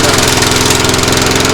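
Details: Craftsman mower running on fuel from its tank after the clamp was fitted: steady rapid single-cylinder putter with muffled, even exhaust note; running normally and far quieter than before.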